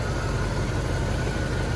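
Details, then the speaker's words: 1977 Chevrolet El Camino 350 V8 during alternator test: deep, even idle with smooth rumble, no skips or stumbles; engine running well. "finally you can hear the sound of a good running engine it's not"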